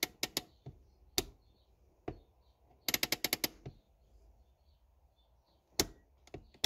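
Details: 2004 Honda Accord Euro R (K20A) handbrake that would not hold, before adjustment: a quick run of about seven sharp ratchet clicks as the lever pulls up. Too much lever travel from a slack cable.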